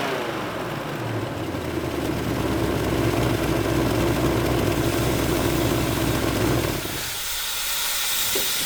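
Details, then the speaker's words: 1970 Ford Mustang V8 warming up at idle, about 190 at the engine, 116 at the thermostat; rising steady hiss of escaping steam that cuts off suddenly as coolant boils over; owner suspects the radiator hose setup prevents a full coolant fill. "Something's spewing. Uh-oh. Yeah, she's hot."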